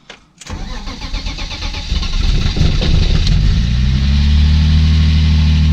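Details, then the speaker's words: BMW E30 brought back to the garage with its ECU refitted. It starts after a short crank and settles into an uneven, lumpy, wavering idle, running very rough and juddering; faulty engine sensor. "Comme ça vous allez pouvoir voir aussi comment un tourne pas très bien quoi. En fait un broute mais un truc de ouf."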